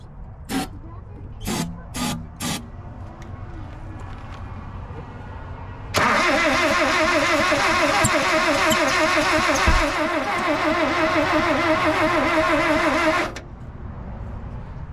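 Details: 1976 Ford Courier mini truck after points cleaned and new spark plugs fitted: starter cranks about three beats a second for seven seconds, builds compression but never catches; crank, no-start.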